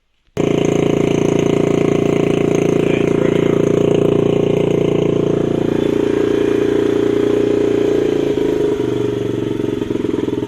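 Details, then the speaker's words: Small 50cc Honda CRF50 (dump find) revved with choke on: brief rev then holds a high steady buzz for seconds before slowly sagging, idle hanging instead of dropping promptly; still the same issue, cause unconfirmed. "Still the same issue."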